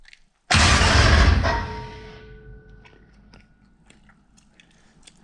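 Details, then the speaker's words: Coyote-swapped Dodge Challenger, first crank via a remote starter trigger after relocating the battery (Optima); about a second of heavy churning crank, then a loud ringing whine as the starter disengages; normal cranking. "Oh crap. I think that sound is just the starter disengaging, but holy crap, that sounds loud. That's awesome."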